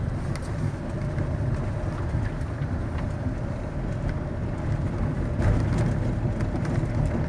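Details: 2008 Fiat Scudo driving nearly a year and 10,000 km after steering shaft repair: steady road and engine rumble with no clunk or knock from the steering column over bumps.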